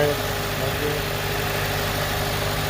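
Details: 2004-2008 Acura/Honda TSX after starter replacement and battery charge: even, steady idle rumble with no misses or knocks. Running smoothly, healthy.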